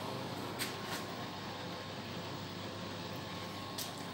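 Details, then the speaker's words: Samsung WD7101CKW washer-dryer, inverter direct-drive motor, hot drying cycle: soft even airy rush of the drying fan with a couple of faint clicks, no rubbing or rattle; normal, drain pump runs periodically. "Ну, пошла горячая сушка, запустилась турбина, если слышно. Потихоньку шумит."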